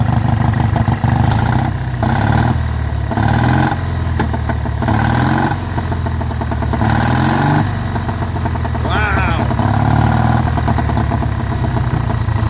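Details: Vintage Douglas engine after 40 years under a hedge, carb cleaned and mixture screw adjusted, running with no silencer and no cooling tinwork fitted: even, steady low putter at constant speed with no knocks or misses; healthy running engine.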